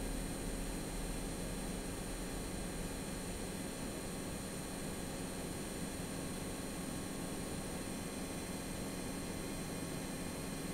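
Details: AMD Radeon RX 6800 (non-XT) graphics card while gaming, audio boosted: steady fan rush with thin high-pitched whine tones; coil whine, which went away after replacing the older power supply.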